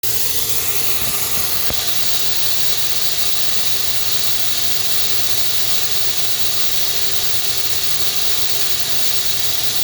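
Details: FH680 machine spindle after cable replacement: steady high hiss and faint squeal with no rise or fall, over almost no low rumble; a bearing at the back is suspected.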